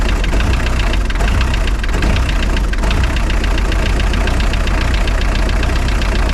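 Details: Spryte snowcat "Rusty" turbodiesel after new OEM Zexel fuel injectors fitted and primed: deep, steady idle with even beat, no misses or stumbles; idles noticeably smoother, rock solid when coming off acceleration.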